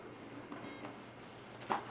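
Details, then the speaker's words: Align ESC in programming mode, motor out of helicopter, throttle stick low: one short clear electronic beep — first programming option, brake setting. "that will first beep that one beep means I'm at the first mode which is the break and I want to be low stick so I'm going to keep it low"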